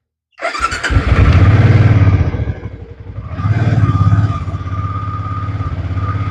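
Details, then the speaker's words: Cheap used fuel-injected motorcycle after FI fault codes cleared and fuel system primed, started after sitting a long time, injector still needing cleaning; catches after short crank, stumbles briefly, then settles into steady even low thump: normal start and idle. "all right so check engine lights are all off however the fuel injector need to be cleaned but here it is running after God knows how long"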